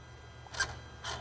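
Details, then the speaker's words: 2008 Dodge Sprinter 3.0 L in limp mode (power loss, check engine light, about 30 mph max), turbo vane actuator commanded with scan tool: two brief free whirring sweeps, no catching or grinding; actuator, wiring and vanes good, not stuck. "So the lever on the actuator is moving. So this is good. This tells me that the wiring of the actuator is good."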